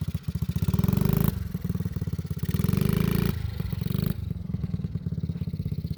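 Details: Vintage Honda Z50 mini bike, restored after years sitting in a field and barn, ridden in gear: quick even putter swelling and easing with throttle, firing clean with no misses; healthy engine.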